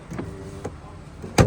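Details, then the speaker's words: 2004 Toyota Camry door window after an attempted break-in: motor whir with scattered clunks, then a loud thump as the glass falls off its guide track when rolled up, noise again going back up; broken window regulator, inner handle also broken. "you can see right there fall off the track right there and it makes that noise and then when I try to go back up you hear that"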